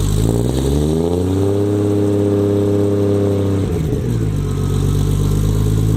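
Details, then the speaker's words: Nissan 240SX S14 with RB25 engine, car jacked up, first start after fitting a forklift starter for starting problems: odd truck-like starter sound, then the engine pulls up cleanly and runs evenly without misses or knocks. "So that sounds completely ridiculous now. Sounds like either a truck or a forklift trying to start, but it works, and I guess we're good for now."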